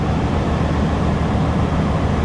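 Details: Chevy (88-98) engine idling evenly after water pump replacement and coolant refill, steady rumble with no knocks, misses or squeals; normal idle.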